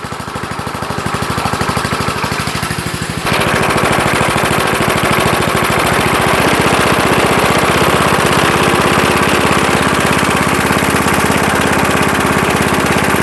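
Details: 1975 Murphy's 20-inch push mower, first run after long storage in a shed: crisp, even single-cylinder popping at a steady pace, no misses, settling to a firm run; the motor sounds really good.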